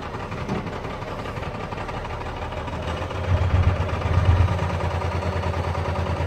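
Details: Cummins 12-valve diesel, rebuilt .040 over, timing about 16°, newer injection pump, lift pump and fuel filters: deep, lumpy idle that stumbles and surges. Misfire and rough idle that worsen after driving or revving; cause unknown.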